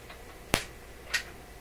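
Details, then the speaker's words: Electrohome tube radio-phonograph that was dead on arrival, restored and tested without a cartridge: record changer end-of-record trip with a sharp click and then a softer one half a second later. It senses the end and cycles normally. "Okay, that's good. Now pick up at the end. recognize the end."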